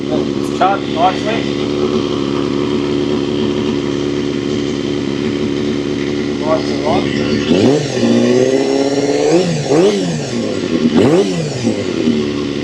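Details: Honda CBR250RR MC22 under restoration, carbs just refitted; uneven revving blips, pitch jumping and sagging instead of climbing cleanly. Owner suspects old fuel and a slightly stuck ring; unconfirmed.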